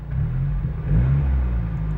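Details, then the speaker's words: MPS after installation of new mufflers, driven around town: a steady, deep, even exhaust rumble that swells slightly with revs, louder than expected but much less droney, no rattle. Normal exhaust note. "it's nowhere near as droney which is awesome so it's louder than what I thought from dead honest but it's livable it's very livable"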